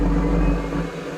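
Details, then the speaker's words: Soviet artillery tractor, diesel pre-heater (PZhD) in frost with glow plug, fuel and fan: low droning hum catches briefly then sags and fades within a second; pre-heater won't stay lit, owner suspects fan switched on too early. "Работает. Потух. Загорелся ж, зараза. Ну и потух сразу, да?"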